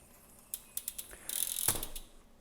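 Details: PLANET3 planetary hub on a Specialized Turbo Creo SL centerlock wheel, after proper installation with the ring gear not seated too deep. Light ratchet clicks and a brief smooth gear whir with no plastic scraping; the gears mesh normally.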